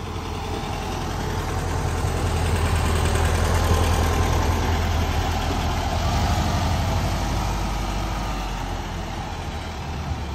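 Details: VW Beetle, engine just repaired, after fitting missing transmission-to-engine ground cable blamed for burned coils and faults: starts and settles into even steady idle about 220 pulses a minute, no stumbles or knocks.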